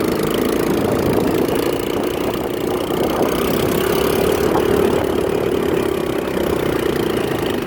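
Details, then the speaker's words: Hammerhead 110cc Chinese go-kart that sat almost a year, after new drive sprocket, battery and carb cleaning, road test with a 175 lb rider: small single-cylinder buzzing at steady even pitch, no knocks or misses; normal running. "It's quick. It rides really smooth."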